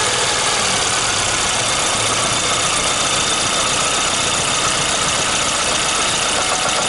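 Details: VAZ 2115 with 1.5i (2111) engine warming at idle, coolant already 60–70 °C: a light, uneven intermittent tapping in a loud hissy running noise, appearing as the engine warms; knock source unknown.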